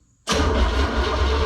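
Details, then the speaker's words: 1966 Chevy Bel Air, 461 big-block V8 with Tremec TKO600, first start, in neutral, jacked up: catches abruptly and settles into deep, steady, even rumble with no misses or knocks; fires cleanly, a loose fitting noted. "All right. It turned over. So that's a thumbs up. So there you go. We got it to turn over."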